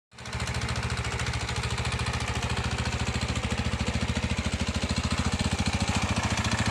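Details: Irbis TTR250 bike, bought non-running: it fires up into a hard, sharp clatter ticking in step with the revs over the exhaust beat. Piston knock.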